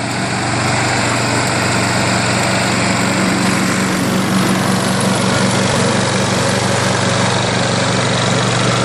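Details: Craftsman 22-inch self-propelled front-wheel-drive mower with a 6 hp Briggs engine, after RPM adjustment, self-propel working on one side only; steady, even buzz with no surging or misses, running clean.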